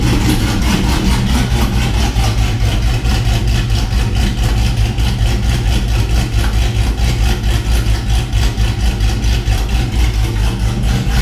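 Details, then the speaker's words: Chevy 6.0 V8 swapped truck with BTR Truck Norris cam, after replacing a noisy driver's-side front lifter with Morel drop-in lifters: deep steady idle, no lifter tick up front; healthy, quiet valvetrain. "the truck's super quiet now so I'm actually going to let you guys hear it there's no lifter noise up front truck sounded good"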